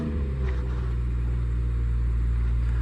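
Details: BMW after replacing a PCV (crankcase ventilation) valve that was blamed for an engine screaming noise: smooth, even low rumble with no squeal or scream; clean, normal idle, with the engine light still to clear.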